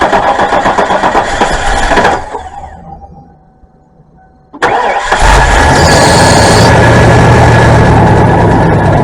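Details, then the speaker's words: Old Ford E350 camper with a 460 V8 that won't go past 30: runs with a loose metallic rattle from something loose inside the catalytic converter, shuts off, then restarts loudly; a sparking spark plug wire was also found. "Rob, if you can hear that rattle, that is uh [screaming] the converter rattling. I already went under there and showed you guys it was uh banging. There's something loose inside there."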